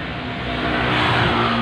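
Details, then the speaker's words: Honda Vario 125 scooter CVT, rear pulley turned with the case open: coarse, gritty rumble with a steady drone swelling as the drive spins; very rough, noisy sound from worn rear pulley bearings, front pulley still fine; bearings to be replaced. "pak yang belakang, itu kasar sekali ya, suaranya berisik banget. Oke, sobat-sobat semua. Jadi untuk yang suaranya berisik banget itu ada di bearing."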